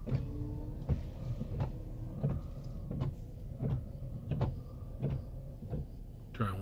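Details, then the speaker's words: Truck wipers at a car wash after cleaning rubber blades with alcohol-based cleaner: even sweeps about every 0.7 seconds, soft thump at each reversal, no squeal or chatter; both sides wiping cleanly. "I'd say both sides are working just as good as the other side"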